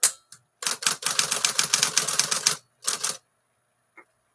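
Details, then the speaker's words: 1956 Smith-Corona 5LE electric portable typewriter after reassembly: crisp even keystroke clacks with no rattle or skipping; earlier skipping and laboring attributed to the body rubbing against the motor, now fixed. "okay well it's not making that rattling noise anymore so we already fixed an issue"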